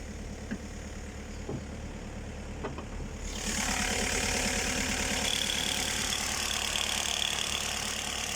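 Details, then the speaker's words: Cold start on a subzero morning: a petrol engine idles with a steady, quick rattling tick, about three a second. Owner suspects the timing chain, not confirmed. "короче утра на холодную минусовая температура завожу машину и застучало у меня цепь"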